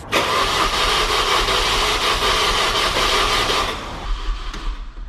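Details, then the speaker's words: Mini Cooper S R53 after first-time engine rebuild, coil packs unplugged, oil filled, no coolant yet: about three and a half seconds of steady starter cranking with no firing, done only to build oil pressure. "we're gonna unplug the coil packs uh and just start it just to crank it over just to get oil pressure"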